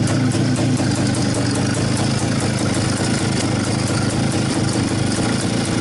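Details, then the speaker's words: Izh-49 two-stroke motorcycle after piston knock repair with solid lubricant, fresh rebuild on fuel only: steady even idle burble, no knock or slap heard; runs normally. "пока никаких звуков не слышно вроде все нормально"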